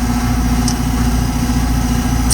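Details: 2024 Ameristar air conditioner, possibly 3-ton, with a newly replaced Trane rotary compressor, running and cooling: steady, even low hum, no rattles or knocks; condenser running normally.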